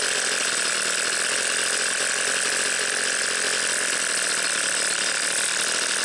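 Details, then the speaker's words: Garage-sale two-stroke leaf blower after compression and spark tests: steady high-pitched buzz holding constant speed with no misses; runs well but sounds slightly lean, carb adjustment planned. "runs pretty good I'm gonna get my pac-man a carp adjusting screwdriver and see if we can tweak you can get a little more rpms out of it it sounds like it's running just a little lean now"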